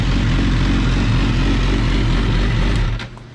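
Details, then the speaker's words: 2006 Suzuki GSXR 1000, rebuilt after a wreck, first start after mounting the tank: steady, even four-cylinder burble with a smooth low rumble and no knocks or misses; fires up and idles healthy. "So, see if it fires up. All right, this thing fires up pretty slick."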